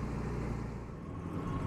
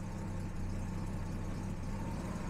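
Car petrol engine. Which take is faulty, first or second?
first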